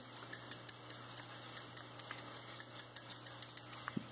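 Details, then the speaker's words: Shakespeare 2052 vintage spinning reel with worm-gear main drive and pinion, anti-reverse pawl spring loosened from factory: quiet, even turning with a light click about five times a second, no grinding; normal smooth reel operation. "it's very quiet for a clicker this is one of these smoothest reels I own"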